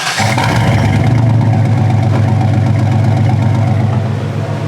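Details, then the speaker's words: 2001 Chevy Silverado with an 8.1L 496 big-block Vortec, Allison 5-speed and 108,000 miles, heard from outside after exhaust work. It catches into a deep, even burble and a quick clean rev, not very loud because of the catalytic converters. The exhaust sounds healthy. "Sounds good. Not very loud, but it has cats on it, so no big deal. Sounds nice though."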